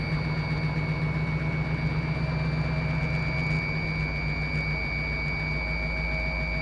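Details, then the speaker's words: 1955 Willys wagon, running better after carburetor work: even idle pulsing about four times a second with a thin steady whistle on top; unidentified noise, owner suspects a possible vacuum leak. "Well, it's running a lot better, but I'm not sure what that noise is. I don't know if we got a vacuum leak or something."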